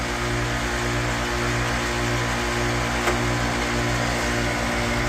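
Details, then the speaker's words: Amana AC condenser freezing up, compressor running but fan not turning until pushed, then not at high speed: loud steady electrical hum from the compressor with only a faint, sluggish fan whoosh; fan capacitor suspected, replaced afterward. "It looks like the fan will kick on, but maybe not at high speed. But you can see it's starting to defrost. So usually what that is the fan capacitor."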